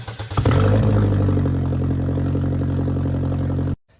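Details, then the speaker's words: 2013 Chevy Equinox, customer-reported massive exhaust leak: engine starts and settles into a loud, deep, raspy rumble, heard before repair with one component refitted to demonstrate the leak. "Customer state said it has a massive exhaust leak just like this."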